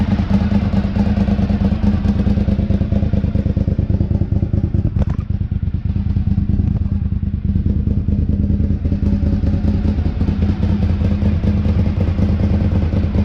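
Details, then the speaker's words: 2003 Honda RC51 SP2 V-twin, after rodent-chewed harness repair, warming up with airbox and sensors connected: loud, choppy idle with sharp puffing rasp each firing pulse, exhaust leak at rear-cylinder manifold joint, pretty rowdy. "It is blowing out of the exhaust where it joins the exhaust manifold on the rear cylinder, and pretty rowdy. So I will definitely be taking a look at that, try and quieten it down."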